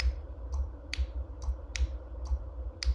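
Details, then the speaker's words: 2005 Ford F150 EVAP purge valve solenoid being tested, still operating as it should: sharp crisp clicks about twice a second over a low hum as it snaps open and shut; owner guesses a worn seal, causing no-start after refueling. "Now, I was testing this item and it still operates as it should."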